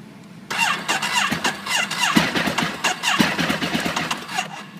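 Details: Ducati 848 after heavy rain: starter whirs steadily about four seconds with a few weak chuffs but never catches; earlier ran briefly with power loss and red-hot exhaust inner, now cranks but won't start, cause unconfirmed.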